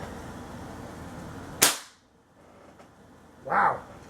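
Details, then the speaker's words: 160 Pellgun CO2 air rifle after installing Archer XP-tuned higher-power gas valve: single sharp, much louder crack then softer puff; shoots strong and clean. "Holy Mesmeralda. You hear how much louder that thing is?"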